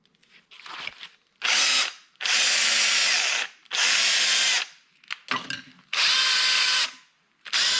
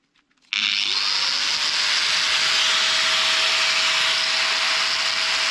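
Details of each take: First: Drill motor after new brushes (old brush missing, heavy damage and rust inside); repeated trigger pulls of about 1.5 s, high coarse rasping whir; sounds a bit better but still horrible; cause unclear. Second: Power tool motor running after repair with a new brush, a larger brush ground down on a bench grinder to size; spins up cleanly to a steady high whine with even hiss, no brush sparking or crackle.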